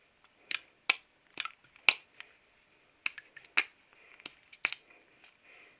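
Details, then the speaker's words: Triumph T120R oil pump, cleaned during a crankshaft oil seal change after the oil light flashed at tickover when hot: light irregular dry ticks as the pump is shaken, check valve balls rattling freely; suction and no-leak tests show it is fine. "And then you can hear the little balls in them ones. You'll hear them go."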